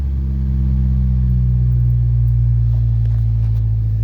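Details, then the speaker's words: Danger Ranger idling right after its first cold start of 2024, having sat about a year: deep even rumble with steady idle beat, no knocks or misses; idling smoothly. "Woo! Fired right up. That wasn't even an issue. It took a nanosecond."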